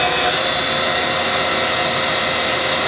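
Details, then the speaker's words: 1997 Haas VF-4 vertical mill, 2-speed gearbox spindle with 12,474 hours, pre-warmed. Spindle ramps from about 5,500 to 7,500 RPM max with a smooth, even high-pitched hiss and hum and no knocks or grinding. Healthy spindle at high speed. "Overall, this is a really nice machine. Runs good, sounds good."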